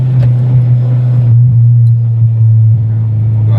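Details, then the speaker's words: Car after timing set and main relay swapped from another car: high engine drone on a first-gear pull dips and stumbles, misfiring and cutting out around 5,000 rpm; not the main relay, owner may try other fuel pump or new TPS. "So you can hear it kind of cutting out there. First gear pull. So you can see it started like misfiring right around 5,000."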